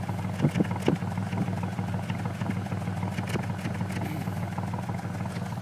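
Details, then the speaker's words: V6 Mustang idling, heard at the right muffler: low exhaust drone sputtering every few turns, about every fourth rotation on the other side; most of the ignition system replaced, RPM gauge steady, no check-engine light, cause unknown. "okay so this is the right side Muffler you definitely here it's kind of sputtering out of this side every couple shots it kind of does it and then on this side it's about every fourth rotation it seems it get to"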